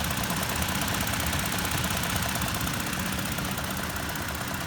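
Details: 2019 Toyota Tacoma TRD Off-Road 4x4 at idle: light, fairly even tick about three times a second over the engine, top-end clicking, cause unknown.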